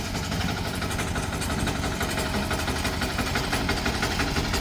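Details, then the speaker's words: 178F 7 hp Chinese clone diesel after a crankcase vent repair for hissing and crankcase pressure, running about an hour: a steady, even idle with no hiss, no longer pressurizing, no leaks. "she is not pressurizing herself anymore so I'm gonna call that's fixed"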